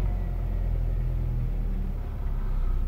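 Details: Honda Jazz (runs on LPG and petrol) idling normally after a computer idle adaptation fixed its irregular idle: low, even rumble with no hunting or dips, holding steady even with reverse selected.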